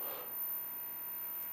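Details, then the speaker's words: GE 810 vintage television on the bench after cabinet work, powered up drawing about 1.8 A, one weak tube found earlier: steady low hum under faint hiss from the speaker, no program, nothing on the CRT; mains hum, cause unknown. "which seems reasonable for this set here's some home out of the speaker"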